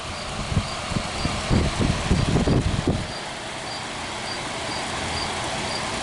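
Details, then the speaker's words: Vintage hassock fan with new motor: a few light knocks, then a smooth, even hum with no rattle; running normally. "for now it's working again"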